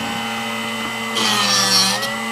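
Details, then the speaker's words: Drill Doctor sharpener on a 1/2 inch (13 mm) cobalt drill bit, depth adjustment possibly set too far in: even motor whine then harsh high grinding as the wheel keeps touching past its range, rounding and flattening the bit's point. "It shouldn't go past, but you can hear that when it gets on this side, it should only sharpen through this range here. Once it gets over here, it shouldn't be touching it anymore, and that's what's creating that rounding."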